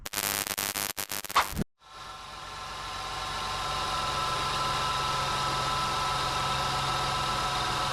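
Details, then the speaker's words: 2002-2005 Jeep Liberty with A/C short cycling, jumped, engine idling with A/C on: constant compressor hum that never cycles off, clutch stays engaged; compressor and clutch good, low refrigerant pressure indicated. "As you can see, it kept spinning. So, I know that the clutch is good. It's engaging. I know that the compressor is working."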